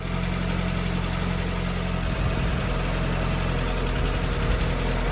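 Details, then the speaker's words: 1990 Volkswagen Scirocco GTII petrol engine at idle, somewhat tappy (hydraulic tappets): steady low rumble with constant airy hiss from a leaking brake servo one-way valve/vacuum line, previously bodged and taped. "my servo's leaking which probably doesn't help the braking situation"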